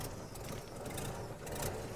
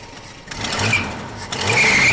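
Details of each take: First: 1970 Dodge Dart slant six, long-sitting car, just started after filling coolant: ticks over unevenly with a surging, sagging loping idle, slight stinky smoke; cause not yet found. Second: 1970 Dodge Dart old six idling steadily with gentle rise and fall, no knocks or misses, slight smoke, after getting it running on fresh gas with working fuel pump; sounds healthy. Normal idle.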